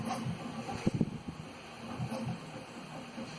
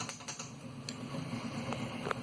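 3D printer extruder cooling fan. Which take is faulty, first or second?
second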